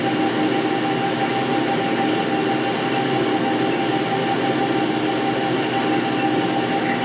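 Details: Metal lathe bought non-running and disassembled, running after cleaning, painting, reassembly and rewiring: even steady whirr with faint constant tone, no knocking or grinding; sounds smooth and healthy.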